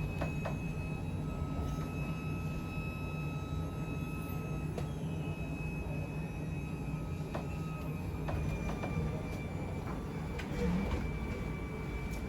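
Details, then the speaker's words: 2021 Sandpiper 393RL living room slides retracting: low steady motor drone with a faint thin whine above it, even throughout; the whine signals the slide nearing its stop before shutting off, normal operation. "Alright, and so once you hear that kind of just whine from the slides, that's about it. It'll just about shut itself off."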